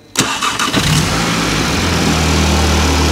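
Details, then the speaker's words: Audi S1 after complete replacement wiring loom, started via trigger in neutral, no coolant: brief starter churn, catches at once and settles into a steady even idle; clean healthy start, key start still not working. "ta-da it runs and it sounds good [Music] so we have a running Audi S1 which is fantastic absolutely fantastic really happy"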